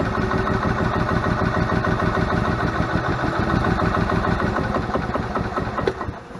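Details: Donated gas Club Car DS golf cart of unknown history, after new belts, filters and tune-up, spark rechecked: steady chugging crank about six seconds, sluggish, no firing; crank no start, carburetor thought to need pulling and cleaning.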